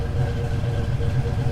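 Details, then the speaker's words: Turbo Fox Body Mustang V8 at first start after the turbo install, wastegate pressure 6 psi, fuel system not yet upgraded, exhaust cutout closed: a low, soft, even burble with no misses. Runs well; an oil leak was found at a homemade T fitting. "Yeah, we're gonna a little bit more loud when we're on the street trying to intimidate people. It sounds good. It's running good."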